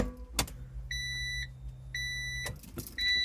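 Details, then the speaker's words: NSX with the stereo reinstalled after a capacitor and circuit track repair attempt: a low motor hum for about two seconds between chimes as the power antenna goes up, but the head unit shows no display; repair did not fix it. "you can hear the antenna trying to work but it doesn't so you turn it on and there is the antenna goes up but there's no display"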